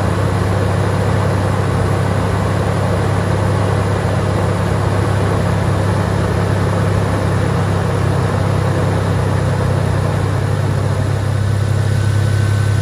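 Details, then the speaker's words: Toyota Tacoma at idle after replacing a locked-up fan clutch and retightening the belt: steady, even low rumble with no squeak or knock throughout. Idling smoothly and healthy. "it's running pretty good good to me"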